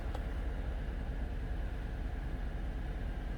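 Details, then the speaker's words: Normal idle, smooth low V8 rumble, no ticking or knocking, of a 2014 Chevy Silverado 5.3 V8 just after oil pump replacement for recurring code P06DD (oil pressure control solenoid); dash oil pressure about 275-280 kPa. "so it's up and running and the oil pressure is like 280 on the gauge on the dash and that's in kpa"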